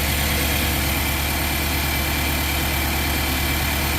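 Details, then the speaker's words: Nissan NV3500 engine idling while an ignition analyzer is touched to each coil: uneven, lumpy pulse about three beats a second, a cylinder dropping out intermittently; one cylinder reads off, suspected ignition coil or spark plug. "Something ain't right there. That's either an ignition coil or a spark plug. If that cylinder's running rough, check this back one right here."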